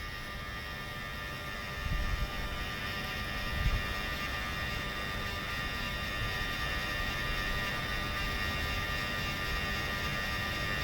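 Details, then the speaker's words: Mercedes V12 Egas system, key on, engine off: steady even electrical hum from a throttle actuator motor, no clicking or chatter; normal hum expected from both throttles, one slightly louder than the other. "So you have an idea, that's the humming noise, electrical noise that you're supposed to hear from both. This one is a little louder than the other one, but it doesn't matter."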